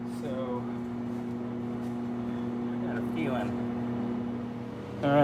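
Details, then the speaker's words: 1990 Plymouth Acclaim, recently rebuilt engine, quit a mile from home; fuel appears present with the engine gassy. Steady even cranking whirr with no firing at all; an arc test with the coil unhooked shows no spark, so coil voltage is checked next. Crank no start, no spark. "right so we have no spark I'm gonna check across the coil here with the ignition on check for voltage"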